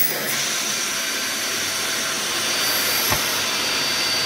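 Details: Dyson DC50 Rollerball vacuum during teardown and cleaning: steady airy rush with a high thin whine and little low body; motor spins but airflow sounds weak; suction still lost.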